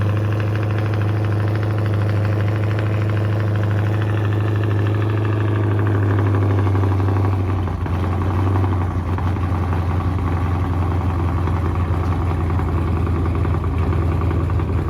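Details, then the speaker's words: 426 Daytona V8 at idle: an uneven, loping beat with a faint irregular tapping knock underneath. Oil is black and low only 3,000 miles after a change; rod knock suspected, not confirmed. "shouldn't be that black but yeah it's got a little bit sound like a knock so i don't know to be continued"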